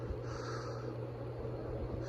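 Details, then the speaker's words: G.E.M.C. 48-inch ceiling fan running on high: constant low motor hum under a dry, rough rushing noise that swells now and then; worn bearings, which also make the spin-down quick, yet the fan still runs fast. "Lighting's pretty poor out here. Yeah, you can really hear the bearings on the fan."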